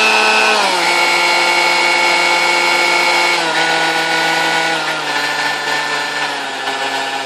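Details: Vintage Kenmore stand mixer, believed Westinghouse-made, first power-up before service: a steady high screechy whine that steps down in pitch as the speed drops, smoother at low speeds, sticky, brushes smelled. Cause was bone-dry motor bushings, cured by oiling the wicks.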